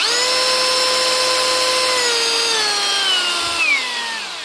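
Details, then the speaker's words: Hitachi (HiKOKI) DV18DBXL brushless cordless drill after faulty trigger switch replaced: smooth, steady high motor whine at even speed, sliding cleanly down as trigger eases; runs normally without jumping. "run smoothly up through the speeds as you pull the trigger. Shouldn't be jumping at all."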